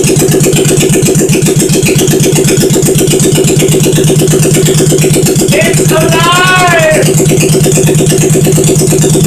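Steady, even firing pulses at a fast idle with no knocks or rattles; the freshly built single-cylinder bike runs cleanly.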